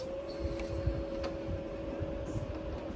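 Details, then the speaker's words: BS6 Super Splendor motorcycle whose fuel pump previously delivered no petrol, after reconnecting the pump pipe and refitting the tank, ignition on: steady even electric hum with light whine for a few seconds, normal fuel pump priming. "Ignition on display पे light आ गया देखिए आप लोग को शायद sound सुनाई"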